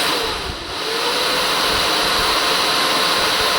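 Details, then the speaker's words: BMW G310 R radiator fan motor after repair (cleaned and brushes refitted), bench-tested on 12 V: a constant airy whir at steady speed with no rattle or grinding; normal running. "Fine. I guess this is going to work for a while for me. I'm okay with that noise."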